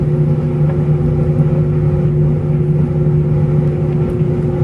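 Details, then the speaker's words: LG steam dryer, gas model, heating phase after steam: steady low roar and constant hum of the burner flame ("howling"), no knocking or scraping; normal flame sound. "so that howling sound you hear is the flame. Electric dryers should run much quieter, and you may not hear their heating element at all."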